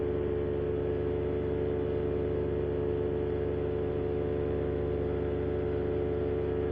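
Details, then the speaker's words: Paramotor in flight after a propeller repair failed shortly after takeoff: loud steady drone with a rough, uneven beat shaking the unit; pilot suspects prop out of balance or repaired tips coming off, heads to land. "Boy, that propeller sounds like shit. Really need to probably get down."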